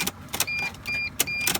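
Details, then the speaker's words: Mercedes Sprinter van, key turned: only light clicks with dash chime pinging, no cranking; cause unknown, owner wonders about disconnected front and rear lights wiring. "okay maybe it's going to work maybe it's not but right now it's doing a little click"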